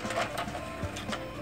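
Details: CD-ROM drive in a woodgrain 486 DOS PC (AMD Am486DX2-66) after a loose drive assembly was reseated: short whirring motor run with a few soft clicks as the tray slides out smoothly and fully; eject sounds healthy.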